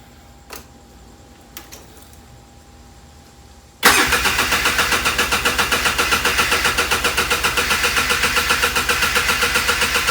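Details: ATV that had sat dormant, on its first start attempt after a tune-up with fresh gas: it catches at once and settles into a steady, even beat of about four pulses a second. Normal start and idle.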